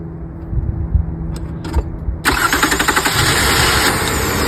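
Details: 2002 Toyota Camry with 3.0L 1MZ-FE V6, first start after fitting a new starter, with the battery previously disconnected: a brief hum and soft clicks, then the starter whirs and the engine catches at once and settles to an even idle. Normal cranking and start.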